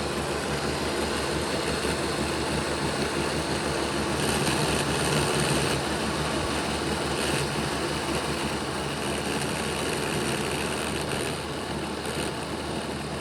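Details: Bachmann Dash 9 model locomotive, run in reverse, rear motor block: constant low growl under a whirring drone; the motor sits crooked in its housing, fixed by reseating it against its contact strips.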